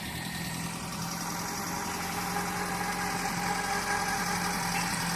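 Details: JDM car just after an engine bottom-end rebuild that fixed a knock, with timing belt installation corrected: steady, even idle with smooth low hum and no knocking; normal idle.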